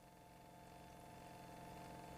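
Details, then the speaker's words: Fuel pump on a bench test, driven at a slower speed while current is varied and monitored on a scope; steady, even electric hum with a clean whir, no rattles or surging, normal fuel pump operation. "okay so this is at a slower speed and I think you could hear the hum in the background of the fuel pump right now"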